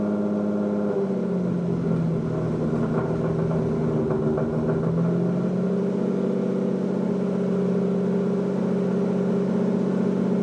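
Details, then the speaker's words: Lamborghini Diablo VT garage find, first start after fuel pump problem found: V12 catches cleanly, revs briefly, then settles into a smooth, even idle with a steady low hum; sounds healthy. "holy moly that kicked right over that sounds awesome let's try that one more time"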